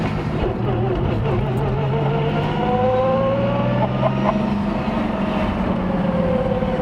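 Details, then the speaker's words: Turbo VR Commodore ute V6 with newly fitted fully built G-Force T5 gearbox (micro-polished gears, ratios 2.92/1.94/1.34/1.00/0.73), first drive: clear whine rising and falling with road speed over the engine note; straight-cut-style gear whine. "oh man I'm hoping the camera is picking that up cuz that does sound pretty tough"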